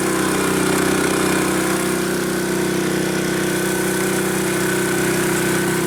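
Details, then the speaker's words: Honda HS622 snow blower with a 6hp Honda GCAAK engine, running after a carb clean, oil change and fresh fuel, having previously not run: a steady, even single-cylinder beat at constant pitch with no misses or hunting. "Sounds pretty good to me."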